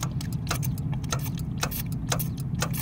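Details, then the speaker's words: Lennox rooftop unit with no heat and code 66, tested after clearing the pressure switch tubing; sharp clicks every half second over a low hum as the switch opens and closes cleanly; normal pressure switch operation. "good that's a good sound sign right there so plug it back in let's restart the unit and see what happens"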